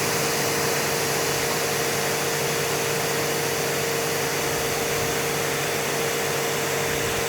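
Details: Active 3.0 pressure washer (rated 3 GPM), just fired on, not warmed up, with 50-ft steel braided hose during PSI test reading about 845 PSI; strong even spray hiss over steady motor hum, no surging; running normally under load.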